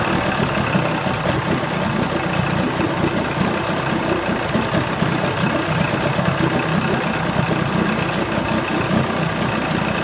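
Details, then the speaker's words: 1980 Chrysler 45 hp two-stroke outboard at fast idle after the crank-no-start complaint: a steady, even burble with no misses or knocks; responsive, nothing found wrong. "i don't know if it seems to be running fine i don't know i mean this is responsive [Applause] again there's nothing wrong with this"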